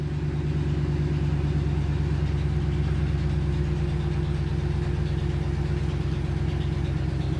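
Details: 2009 Hemi Ram 1500 V8, almost 200,000 miles, owner has a prolonged-start issue: steady low idle right after a long crank, even with no misses or knocks; injector pulses read roughly even, so injectors seem fine.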